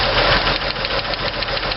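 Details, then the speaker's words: 1964 Chevy II with hydraulic lifters, valves adjusted with engine idling: sharp rapid clacking from a loosened rocker, quiet once tightened for preload; valves found out of adjustment; valve lash clatter. "his one up enough you'll hear it clatter hopefully you can hear that I don't know maybe you can but it's a you know click click cck cck clack clack clack clack clack tighten it down a little bit and it goes away"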